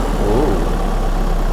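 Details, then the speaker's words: 2014 VW Crafter 2.0 TDI after snapped cambelt repair (retimed, new belt and tensioners, no engine or head replacement), just started with warning lights on and codes uncleared: even low diesel rumble at idle, steady, no knocks or misses; smooth healthy tickover. "Well, we'll wait to clear the codes because it's obviously a bit excited, but it's running. That sounds beautiful. Sounds right, doesn't it?"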